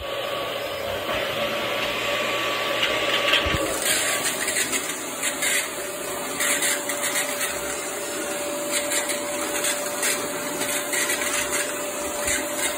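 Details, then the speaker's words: Black and Decker bagless canister vacuum running with its air-driven turbine (turbo) brush nozzle, soft-start motor: steady roar and whine with an irregular scratchy rattle, the racket from worn bearings in the turbo brush. "The bearings are a little bit worn in it, which you'll be able to hear when I turn it on, because it makes a little bit of a racket."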